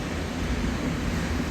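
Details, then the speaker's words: HR28 28-metre machine after replacing a distorted rubber clutch coupling that caused noises: the electric motor and hydraulic pump run with a smooth, steady hum, no noises. "motor info motor is running just fine sounds good nice and smooth yeah looks good"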